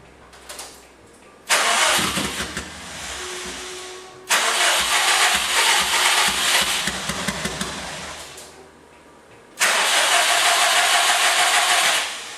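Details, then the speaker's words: Subaru engine swap, old battery with fuel pump powered: starter cranks in bursts, engine catches briefly and dies without idling, fuel smell; owner suspects missing rear fuel pump controller, unconfirmed. "Kind of started there, but I smell a little bit of fuel, so I'm gonna quit right now."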